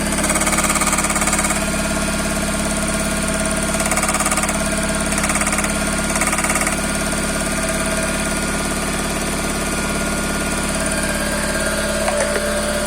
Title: Toyota Corolla 5e-fe стук двигателя